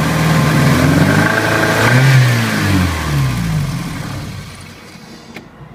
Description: Have a bad misfire in my ABA swap. Fuel pressure bounces around a bit, not sure if it normal, or a indication of a failed injector or fuel pump.